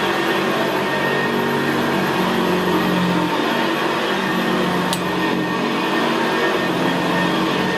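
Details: 1975 Hoover Senior Ranger U4002 vintage upright vacuum cleaner on carpet: steady, very quiet motor hum with the even gravelly brushroll growl typical of the Ranger; normal healthy running.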